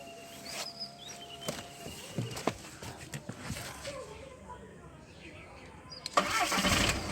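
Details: Skoda Laura that previously would not start, with ECM and error-code issues, now starting: quiet clicks and knocks, short crank, engine catches and settles into a running idle; normal start.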